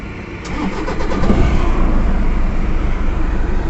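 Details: Toyota Innova diesel after fixing the issue behind its malfunction light and heavy engine vibration; cranks, catches within a second and settles to a steady even idle, no shake or misfire; normal start and idle after repair.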